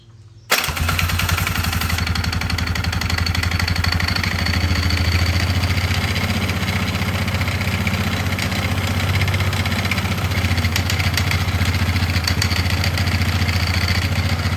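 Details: 2005 Polaris Sportsman 500 H.O. quad brought in for terrible engine vibration and rattle, also won't go forward or reverse: single-cylinder engine idles rough with a loose metallic rattle; mechanic suspects broken pieces in the primary clutch.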